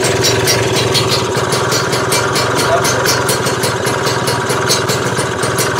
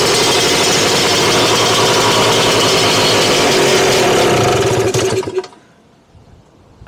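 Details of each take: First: Freshly built Lambretta Series 2 two-stroke scooter at idle after adjustment: steady, even putter with regular firing, no misses or hunting; sounds healthy and properly timed, later timed to 17 degrees. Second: Freshly built Lambretta Series 2 two-stroke scooter after carb jetting check (plug was very wet): high, even buzz that fades after about five seconds. Revs rose because the fuel tap was off, so the engine starved of fuel.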